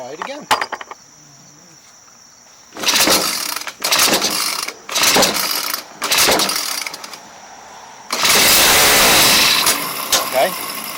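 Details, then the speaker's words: Craftsman 29cc 4-cycle weed trimmer power head that suddenly stopped running, primed then pulled: several pulls, engine catches and screams about two seconds then cuts out; fires but won't keep running, cause unconfirmed, fuel lines look intact. "that started up fired and died"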